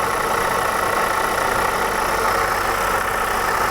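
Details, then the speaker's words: Idling engine heard through a screwdriver used as a stethoscope: constant rough, gravelly growl, loud at the listening point; water pump bearing gone bad, still to be confirmed by isolating the pump. "Sounds to me like the water pump was making the most noise. It was kind of a growling noise, which happens when the bearings go bad."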